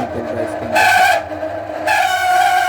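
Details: Microwave oven running at 800 W: loud harsh droning whine surging in waves; noisy worn cooling fan motor.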